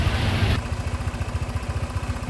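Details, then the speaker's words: Honda Vario 125 scooter with dry, empty oil, poorly maintained, high mileage and smoking: rough, uneven idle clatter and gritty grinding from worn crankshaft bearing, piston and conrod, damage caused by oil starvation. "Kalau didengerin secara kasat mata, di sini motornya suaranya kasar berasal dari bearing truk as yang bunyi ngegosrok. Terus kemudian di bagian shakernya atau pistonnya ini juga bunyi kasar."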